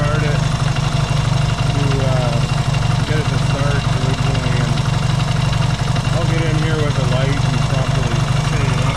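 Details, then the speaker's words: Yamaha XS650 twin, engine reinstalled after fixing its oil-burning problem, now pretty warm, points still to be properly adjusted: even steady low thump, no stumbling, knocking or rattle; no smoke, healthy settled idle. "it's pretty warm now and uh I like what I'm seeing"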